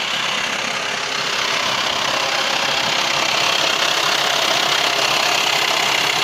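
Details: VW T5 2.5 AXD diesel at idle: steady, sharp metallic clatter about three ticks a second over the diesel rattle; worst when turning the steering wheel; source unclear.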